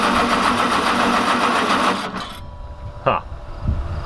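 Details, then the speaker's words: Small engine on an old roller packer, possibly flooded carb with choke not working, choke left open: fires and runs rough and uneven for a couple of seconds then dies; owner suspects the carb needs removing and cleaning. "man that's close it's not happy [Applause] good morning maybe it does need carb work that sure sounds like it cause he was running and i was over here yeah it's like i could kind of keep it running but it wasn't gonna go"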